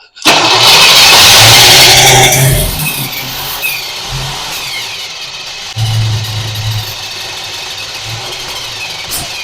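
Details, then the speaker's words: 1966 Pontiac Parisienne, just fitted with an Edelbrock 4-barrel carb and intake and an HEI distributor: a loud hissing crank briefly tries to catch, then sputters unevenly and won't start. Suspected timing 180° out; later traced to electrical faults. "Go again. Try that. She wants to. >> Where's the choke? Okay, go ahead. Which way we turning this? Go ahead. Not catching."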